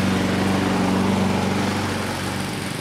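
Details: 2014 Husqvarna HU700F self-propelled push mower, Honda GCV160 single-cylinder engine, after a carb clean: smooth and even at steady speed, no misses or surging; sounds healthy.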